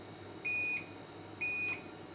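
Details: APC Back-UPS ES500 after repair of faulty 12 VDC 8A relay, battery reconnected and powered on: two short, high beeps about a second apart, no continuous alarm tone as before; normal startup beep.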